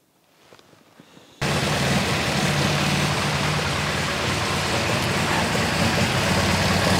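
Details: MGB GT with Lumenition optocoupler electronic ignition, oscilloscope probes on spark plug leads of cylinders 1 and 2: fast, slightly uneven idle with recurring stumble; cylinder 2 misfiring.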